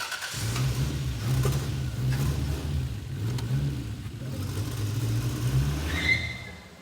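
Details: 1989 MA70 Toyota Supra 7M-GTE, first run in over 6 years, revved after starting: the engine climbs and settles with a brief rising turbo whistle as it spools. Healthy turbo.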